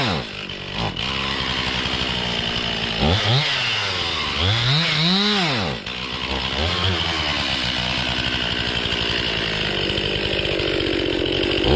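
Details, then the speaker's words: Warmed-up Stihl MS 261 C chainsaw rises and sags in uneven waves, bogging instead of holding speed. The owner suspects the fuel tank vent (suction had built up before); it was cleaned but not replaced, and the fault returned. "yeah it's not good um looks like it's doing the same thing I didn't replace the uh the vent if that's what it was"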